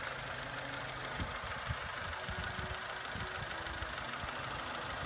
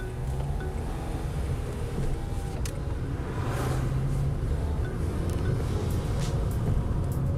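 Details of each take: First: Vauxhall Corsa engine that had suffered low oil pressure for a while, recorded before being replaced with a new engine: uneven knocking thuds, about three a second, over a ragged idle. Worn engine knocking, exact cause not confirmed. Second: Vauxhall Corsa with a newly fitted replacement engine; the old engine made awful noises and had low oil pressure. It settles into a steady, even idle with a smooth low hum and no knocks, ticks or misses, sounding healthy.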